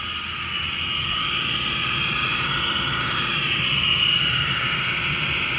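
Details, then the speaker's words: LG direct drive dishwasher about three to five years old: loud steady high-pitched jet-like roar during the wash from motor bearings rusted by water ingress since new; fixed by replacing the motor. "I guess the D has always made this noise and it sounds I don't know guessing it's like the drive motor or the pump maybe the pump it's pumping water around"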